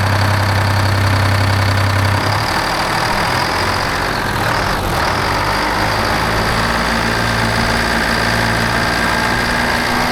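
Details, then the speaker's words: 1975 Peterbilt 359 with Detroit 12V71 two-stroke diesel, first start after 30 years dormant in a barn: rough, lumpy uneven throb with one side of the engine dead cold and not firing, barely slobbering; exhaust on that side suspected plugged. "nothing dead cold dude nothing on this side is fireing huh"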